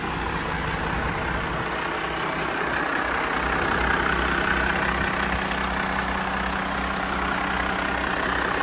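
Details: Diesel C50 truck started after an oil change, new valve cover gaskets and valve adjustment for a clunking/thumping noise: even, steady low idle beat of about two and a half pulses a second; smooth run.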